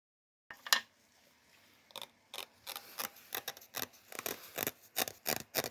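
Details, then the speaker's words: Cheap eBay shrinker/stretcher machine: short uneven gritty scrapes with each stroke instead of a smooth glide, as the poorly finished jaw block surfaces bind; fix planned is grinding and polishing the sliding surfaces so they slide better. "is rough so the answer seems to be grind down and polish up these surfaces so that these slide better"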